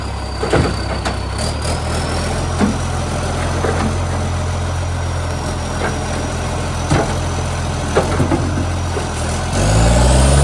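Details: Euro 3 style Euro 5 facelift diesel garbage truck SL780: rough idle with sharp puffing ticks, then a loud raspy rev; exhaust pipe leak making revs much louder.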